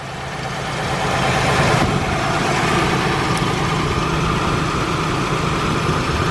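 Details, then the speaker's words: Warm station wagon engine still misfiring after a short drive, rough idle with an uneven, irregular exhaust beat that is obvious when put into gear from park; owner suspects the fourth cylinder, not confirmed. "if i put it in any gear you guys hear that that's the obvious sign that we are still missing"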